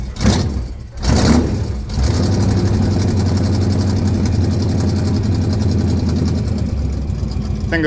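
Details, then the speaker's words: Engine cranks in a few rough bursts with fuel leaking, then catches and settles into a steady deep idle; believed flooded, fuel leak believed gone; hard starting. "was just flooded. There we go."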